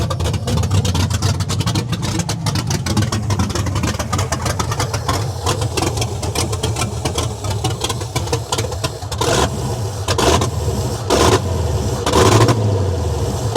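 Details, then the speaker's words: First start of an LS V8 swapped into a Dodge Dakota with new billet ignition coil holders. Revs surge and sag and the idle hunts, nearly stalling. Owner is unsure whether it gets too much or too little fuel; the fuel pump isn't wired on. "like right there you can kind of hear the idle moving out when it's not way too much fu"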